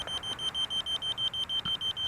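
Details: 260mm King Kong FPV quad on an 1800 battery, at about eight minutes twenty seconds of flight: a shrill, even beep about six times a second over quiet background. Finding: low battery voltage alarm.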